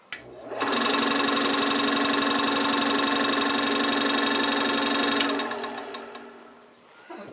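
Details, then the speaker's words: New Byrnes model-building table saw, out of box, belt drive with spring-tensioned motor, powered up without cutting; spins up to steady even whine, smooth hum, no rattle, coasts down cleanly; running good. "Okay, everything seems to be running good. That motor has a spring action to it with a belt, probably keeping constant tension on that, so that's nice."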